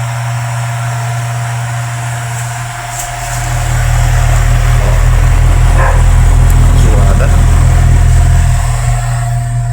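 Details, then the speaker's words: Mundial electric fan whose bearing had been adapted, running with a heavy hum and rough rubbing drone from poor-quality worn bearings; fix is replacing them with good-quality bearings. "o cliente chegou falando que foi adaptado o rolamento, mas faz muito barulho e a gente coloca ele para funcionar. Ele funciona, mas com barulho, tipo roçando."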